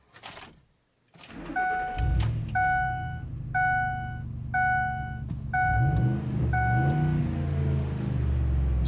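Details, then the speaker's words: Ford F150 after camshaft sensor circuit repair (codes P0340, P0011): engine cranks, catches quickly and settles into a smooth, even idle under a door chime, run to verify the repair before rescanning; normal idle. "engine sounds good so now i'm gonna bring up our scan tool"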